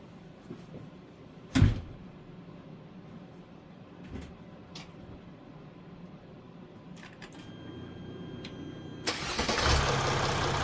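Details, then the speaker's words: Mercedes OM642 diesel in a Jeep WK Grand Cherokee CRD, after timing chain tensioner replacement, started after sitting 15-20 minutes: short crank, fires straight away into a smooth, even idle with no startup rattle; normal cold start. "all right sounds perfect"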